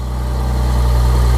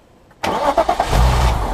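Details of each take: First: BMW S50B32 first start after refitting VANOS and diaphragm springs: deep, slightly uneven pulsing idle, lumpy as cams aren't in initial position, until VANOS oil pressure builds. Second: BMW S50B32 engine after refitting VANOS and diaphragm springs, fuel pump fuses 13 and 18 removed: two spells of steady starter cranking without firing, building oil pressure until the oil light goes out before first start.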